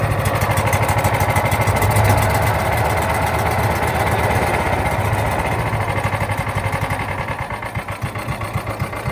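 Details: John Deere Gator 4x2, unrun for years, choked, with an electric fuel pump fitted: single-cylinder engine chugs with an uneven, loping beat that stumbles toward the end; rough running from a dirty carburetor, later cleaned along with the jets.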